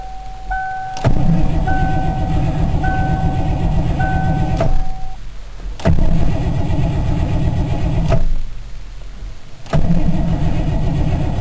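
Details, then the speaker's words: Engine on a cold day with a fully charged warm battery and about half a gallon of fresh gas: three long cranking bursts, the starter turning steadily for several seconds each, with no fire. It later started with ether. "But let's just see what happens when I turn the key. Seems to be cranking over pretty good."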